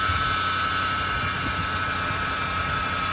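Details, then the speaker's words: 2007 Ford Crown Victoria idling: loud steady high-pitched whine over the engine at constant pitch, worse when accelerating; caused by a bad bearing in the belt tensioner pulley. "All right, so as you guys can hear, that noise is very loud. It's very annoying. The root of the problem, which is the pulley on the tensioner."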